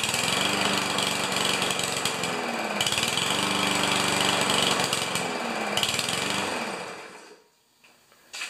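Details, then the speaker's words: Powermore (Yard Machines) walk-behind lawn mower that starts and stalls; fires and runs rough and uneven for several seconds, then dies away to silence. "uh I've heard it run it it's that typical thing right it starts installed so let's just give it a go"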